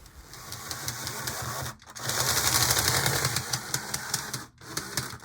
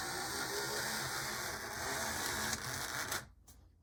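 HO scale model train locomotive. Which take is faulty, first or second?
first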